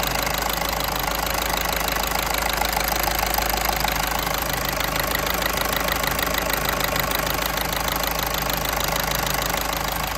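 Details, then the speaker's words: 2014 VW Caddy 1.6 TDI after replacing and coding injector no. 2 (fault P0202): steady, even idle clatter with no misfire or stumble; runs cleanly on all four cylinders. "you know she just got back from a five mile road test run absolutely spot on back on all four cylinders now"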